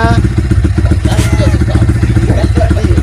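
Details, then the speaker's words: Yamaha Vixion after the piston and cylinder block were replaced, worn from clearance after oil starvation caused by a leaking clutch cover gasket; steady, even single-cylinder idle thump with no knock, sounding like new. "Kini setelah kita ganti seher dan bloknya, suaranya kembali seperti motor fiction baru."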